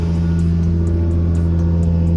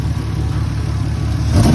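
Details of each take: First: Lexus SC300 with misfire, after quick parking-lot replacement of a bent part, driving: steady even engine drone, smooth pitch under light driving, sounds much better; no misses heard. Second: Lexus SC300 parked with hood up: lumpy uneven engine note stumbling as revs climb; rough running misfire, suspected from broken distributor rotor and shavings in cap; not confirmed.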